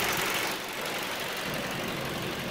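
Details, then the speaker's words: 2009 Ford Focus idling after being revved, coolant temperature climbing then dropping from about 203 to 195 as the radiator fans switch on, following a fan no-start fault traced to a missing ground; steady airy whoosh over quiet idle, normal cooling fan operation. "ahorita al estarle acelerando fue cuando cuando subió más la temperatura y prendió pero miren está bajando 197 lo está enfriando cada vez más 95 aquí lo estoy escuchando prendidos en Baja"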